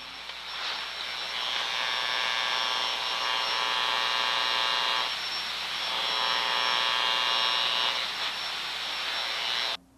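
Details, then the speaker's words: Ultraprobe 2000 ultrasound scanning around the door seal of a closed, energized switchgear enclosure: steady high buzzing hiss rising and falling while scanning; discharge arcing inside, which may be present without hot spots detectable by infrared. "arking tracking and Corona may be present without creating hot spots that can be detected by infrared testing"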